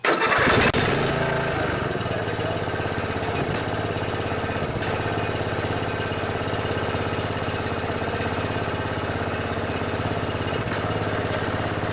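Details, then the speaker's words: Murray riding mower repowered from flathead to Briggs Intek 14.5 industrial commercial OHV single: quick start, then steady even thump with smooth exhaust note, no knocks or misses; normal running. "And I put a good old Intech 14.5 industrial commercial gold engine in this one. It runs pretty good."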